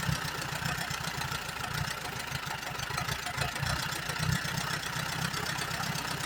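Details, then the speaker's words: 1938 Allis Chalmers B with Waukesha engine: chugs unevenly with irregular low thumps and hesitation. It runs only with choke almost fully on, making the plugs slightly rich, and the carburetor needs rebuilding badly. "A little bit rich, but I've been running it with the choke almost all the way on, so that's gonna cause that. This thing needs a carburetor rebuilt pretty bad. It don't want to run on nothing but choke."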